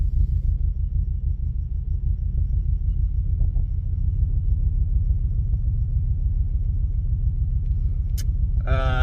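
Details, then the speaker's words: Ford Focus ST five-cylinder, no stored codes (only pending P0101 MAF code), air filter off, after replacing MAF sensor, which didn't fix it; deep uneven lumpy stumbling idle; engine misfire, cause not confirmed. "So So there's no codes. Fire them up. Instantly sounds like a bag of [ __ ]"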